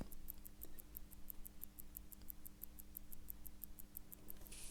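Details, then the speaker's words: A Seiko 6139A chronograph watch, after its sticking hairspring coils were freed, gives crisp, even ticks at about six per second, now running properly. "hope that we can now hear the difference in the ticking of this particular watch now I'm very very pleased and very very relieved to see that"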